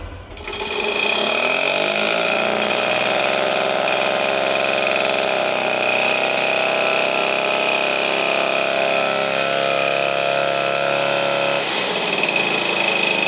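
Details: Restored 1952 DC military generator fired up: small engine and generator settle into a steady, even drone with a constant whine on top, no knocks or misses; normal healthy running.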